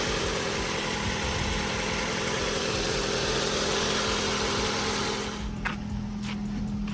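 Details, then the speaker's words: Ford Focus bought cheaply to resell, not started for a couple of days, on a cold start: a steady, even cold idle with a constant hum and no misses or knocks; the engine runs smoothly. "just going to give the engine a quick start so you guys can hear how it's running it hasn't been started in a couple of [Music] days there you go guys it's on cold start at the"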